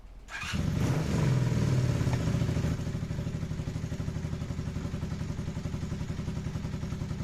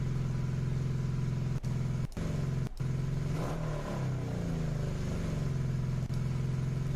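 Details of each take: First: Carburetted motorcycle after idle adjustment screw correction, previously revving high and slow to drop: quick throttle blip, then revs fall straight back to a steady even idle thump of about four beats a second; now idling properly. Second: Carbureted motorcycle before adjustment: engine hangs at a high, steady idle and barely settles after a blip; carburetor idle adjustment screw turned too far in.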